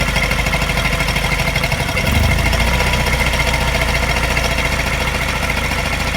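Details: Mini N12 engine, not cold but not fully warm, fast idle after new cat and O2 sensors: steady idle with a light regular tap and faint uneven pulse coinciding with a mild miss; cause unclear.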